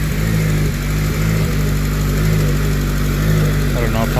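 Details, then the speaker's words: Freshly prepared K20 engine at its first start before install, on a low battery, with an uneven hunting, surging idle and the AC fan whirring. Owner suspects an ECU reflash is needed; cause unknown. "She's alive. Acting a little crazy"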